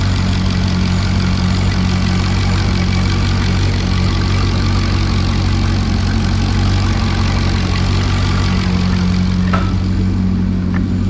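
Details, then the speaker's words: LS2 V8 at about 112,000 miles, warm (coolant 170°F, 180 thermostat, oil 30 psi, oil temp 90), hood open: smooth even low rumble at steady idle near 700 rpm, no knocks or ticks; healthy. "pop the hood again so you can hear every every noise in here is 100%"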